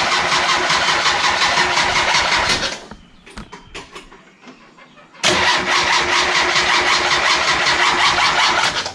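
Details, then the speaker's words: Steady starter cranking near 160 rpm, a pause, then more cranking that never fires on a turbo Miata with new MegaSquirt base map; no spark before or after, despite new cam angle sensor, igniter, coils, plugs. "but the only problem he has it's not getting any spark and he wasn't gettin spark'd before we threw the mega squirt"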